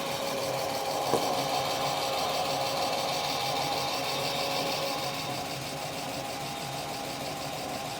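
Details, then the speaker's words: BMW E36 M3, 189,598 miles, just revived after sitting, not yet warm: light quick ticking about four per second over steady idle; loud lifters, plus possible power-steering whir from low fluid. "It's a smooth motor, even if it is noisy and old and"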